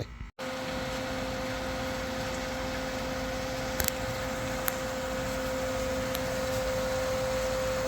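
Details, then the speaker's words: Pool pump running with a 7-year-old Pentair Clean and Clear CC150 filter after its cracked top was replaced with an aftermarket lid; steady motor hum, clean constant tone, a few light ticks, no grinding or surging; no leaks from locking ring, gauge or relief valve. "I got it up and running, and we don't have any leaks from the ring, the locking ring. No leaks from the reinstalled gauge or relief valve."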